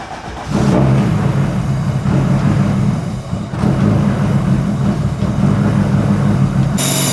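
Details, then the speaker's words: Turbo Honda Civic street car starts after fuse box and starter wiring repair, catching within a second and settling to a steady, even idle with no stumble; battery then reads 14 volts, charging restored. "all right I'm going to fire it up I'm going to start the car and then test voltage of the battery with it idling and we should see 14 volts are very close to 14"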